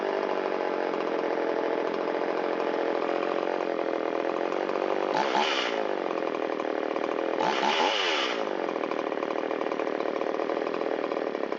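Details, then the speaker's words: Shindaiwa 360 two-stroke chainsaw, long-stored, Walbro WT-89 carburetor, choke in, after low-speed screw turned out half a turn for a lean bog: buzzy idle dips in pitch twice, each recovering within a second. Slightly rich idle mixture; screw turned in a quarter turn. "little dip down indicates it's a little too rich at idle."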